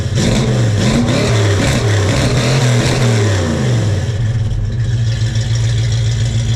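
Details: 1968 Ford Mustang 302 V8, on ramps just after a JBA tri-Y header, X-pipe and dual stainless exhaust install; revs up and settles with a deep even note, no knocks, ticks or leaks, and quieter than before; normal revving.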